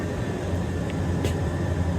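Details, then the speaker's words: Carrier gas furnace after inducer motor replacement and drain trap cleaning, running 10 minutes: trap filled with no code 31 flash or light; steady even low drone without surging, stalling or cycling off; normal furnace operation. "10 minutes now that trap's filled up no light we're good to go"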